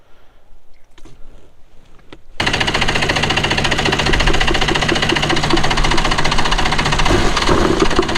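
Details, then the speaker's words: Two-stroke premix engine on a jon boat, unused three years, carbs rebuilt, over-primed through the intake: starter churning three or four turns a second without catching; flooded. "yeah it's flooded foreign well we're gonna get to test it now because this thing was flooded"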